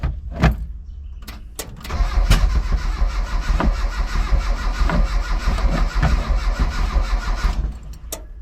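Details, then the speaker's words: Mitsubishi L200 with EFI conversion, start attempt after rewiring and distributor work: starter spins the engine at a steady rhythm for several seconds with no firing at all; cranks, no start. "Whole lot of nothing. Damn it."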